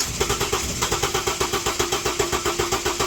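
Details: 2006 Ford Falcon cranking with accelerator fully down: even, fast starter chug around six beats a second that never fires; compression sounds healthy, injector number one signal good, fuel pump drawing about 4 amps; cranks but won't start, cause not yet found.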